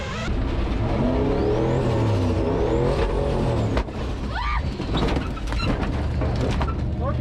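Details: Turbocharged 1951 dually truck that was not running right. The engine pulls hard with rising revs, then suddenly stumbles into an uneven, choppy note under boost: a heavy misfire. Cause suspected, not confirmed.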